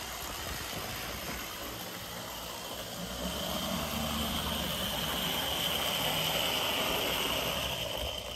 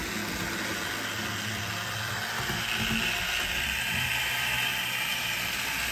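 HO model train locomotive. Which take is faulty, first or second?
second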